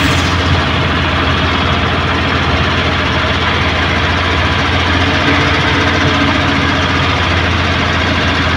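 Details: Suzuki Multicab F6A carbureted engine that would not start, now running after carburetor overhaul and cleaning, float valve and distributor adjustment: loud, steady low drone at idle with an even beat, no misses or knocks, running smoothly.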